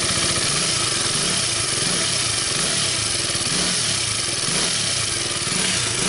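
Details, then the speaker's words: KTM RC 200 single that had stalled from low fuel pressure, after replacing the leaking fuel pump hose, pressure now about 40 psi (normal 40–45 psi, 2.7 bar): steady, even idle with crisp buzzy exhaust, no stumbling; running normally. "So yan na nga po, natapos na namin na gawin yung motor. So it's a live na ulit."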